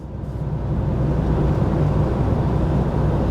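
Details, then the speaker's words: VW T5.1 Transporter whose owner reported a noise rising with speed; CV boot already fixed. Road test at 40–50: steady low road rumble with no rising hum or growl, so this wheel bearing is quiet; the rear wheel bearing was later found noisy. "he said the noise got louder as you got faster will bearing typical typical sounds we're doing 40 5 50 nothing's got louder"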